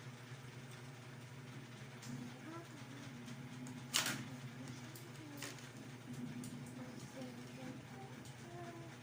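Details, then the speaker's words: Ceiling fan that had suddenly stopped, running after repair: broken clip replaced with a paper clip, lubricated with grease and oil. Low, steady, even hum with one brief knock, otherwise no ticking, scraping or wobble. Healthy again. "oh andar na guys Ang ganda ng andar Oh okay na guys okay"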